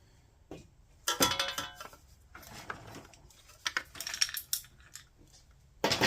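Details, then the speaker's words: Vanguard engine with exhaust valve click, oil seeping and possibly starved: metallic jingling and clinking as the engine is tipped over, like maracas; loose debris inside the crankcase. "Oh, did you guys hear that? That just made maraca noises. That confirms something's definitely inside."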